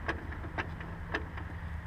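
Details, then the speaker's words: Honda S2000 propeller shaft, rotated by hand via the wheels: slow irregular clicks and pops about two a second, sloppy play, noise heard for a long time and worsening; worn driveshaft needing replacement. "can hear that clicking sound and that's what I've heard that sound for a while since I've had the car"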